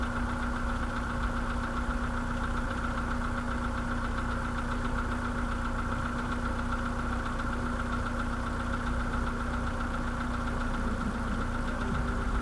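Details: Idle on a 2013 VW Polo sedan with the CFNA engine at 192,000 km: a dull, irregular tapping about once a second under a low hum. Piston slap.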